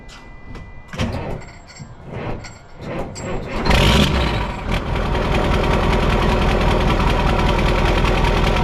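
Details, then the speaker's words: Mack CL713 E9 V8 500 hp diesel truck, newly bought, first start: several slow labored cranking pulses before it barely fires and settles into a rough steady idle; oil pressure comes up. "Well, that barely started. Got oil pressure."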